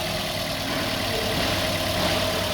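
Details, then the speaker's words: Toyota Vios with a shaking engine, after the failed cylinder 3 ignition coil was replaced: even steady idle hum with no misses or shakes; all cylinders firing smoothly. "นี่คือหลังจากการเปลี่ยนมาแล้วครับคอยก็จะทำงานได้"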